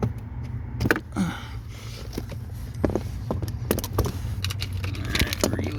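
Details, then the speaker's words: 2020 Honda HR-V that randomly cranked but wouldn't start, right after replacing the blue Mitsuba fuel pump relay under the dash with a Denso one: engine catches and settles into a steady, even idle; fixed. "relay all right let's see there you go so I guess it was the relay so if you're having that problem with your Honda HRV it's the fuel pump relay"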